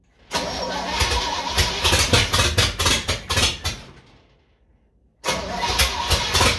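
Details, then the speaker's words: Old supercharged truck after carburetor cleaning and modification, timing set, choke held open on second start attempt: starter churns in steady pulses about four a second, pauses, cranks again without catching; cause unknown. "I don't know. Ain't got a clue why it won't start."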